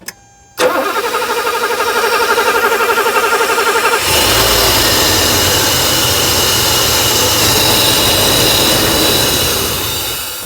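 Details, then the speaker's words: 1984 Mercedes 500 SEL pre-merger AMG, sitting 27 years, cranks steadily, catches, runs roughly, then dies: a hard start on its own fuel system. It ran smoothly about two weeks later. "that was the best start on its own fuel system that we've gotten i'm just going to give it one more all right go ahead oh it wants to go"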